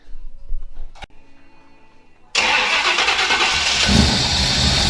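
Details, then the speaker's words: 1984 Chevy K5 Blazer 4x4 with new crate 350 V8 and automatic, first start after install: rough busy idle with rhythmic scraping clatter, flywheel or torque converter suspected contacting something. "okay so we got the motor in started but if you as you heard there is uh this noise and uh sounds like the flywheel is contacting something that it's not or it's the torque converter"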